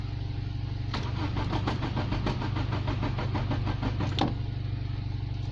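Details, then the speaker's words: Nissan Bluebird first start attempt after head gasket replacement, HT lead attached: starter churns steadily about three beats a second for several seconds without catching; crank-no-start, owner suspects ignition timing way off. "H that doesn't sound like it's going to start well we keep on trying bit of fuel in the carb"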